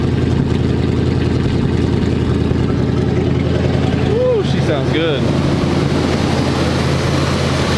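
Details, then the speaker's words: 1985 square body 454 big-block V8 with a 4-speed, running after sitting 20 years. It has a slightly raised idle on choke, an even rumble with no ticking or knocking, 45–50 psi oil pressure, and is charging. This is a normal fast idle. "look like the choke is on so that's why it's a little highing"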